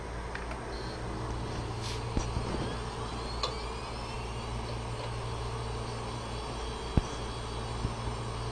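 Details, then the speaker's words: 80 GB Western Digital hard drive that had been clicking from bad heads, powered up on an imaging station after head replacement: steady low whir with a faint high tone and no repeated clicking. The drive spins up normally. "And you'll notice there's no more clicking at this point."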